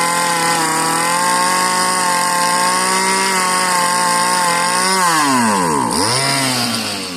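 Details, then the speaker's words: Marketplace Homelite-type string trimmer, bottle-fed 2-cycle fuel; sticky throttle cable, and dirt blew out of the muffler on starting. A high-revving buzz holds steady, then the pitch dips sharply and climbs back; the owner says it sounds oddly hopped up. Cause unclear. "Well, she popped off and ran. It just sounds a little bit different. I wonder why that might be. Almost sounds like it's hopped up a little bit."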